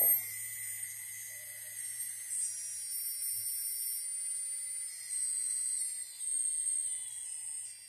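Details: FPV racing drone, motor 4 on the bench: a high, wavering brushless motor whine with a faint, uneven rattle and vibration that sometimes gets much worse; abnormal mechanical motor rattle.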